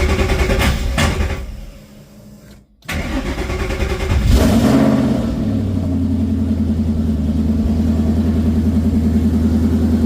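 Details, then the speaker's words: Coyote V8 swapped into a Ford Ranger with Mustang cams, freshly reassembled: brief cranking, then it catches and settles into a steady, even idle with no knocking at start-up; normal start and idle. "There it is, it's running. Not making any knocking noise like you probably could have heard in the last video, or the last part of this video, but I'll give her a little rev."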